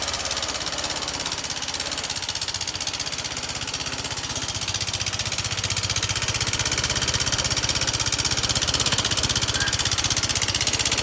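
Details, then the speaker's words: Honda Vario scooter engine at idle, owner complaint of very rough engine noise: fast, even ticking clatter about four times a second over a harsh idle; worn, loose rocker arm bearing. "Nah ini datang dengan keluhan tuh suaranya kasar sekali ya suara"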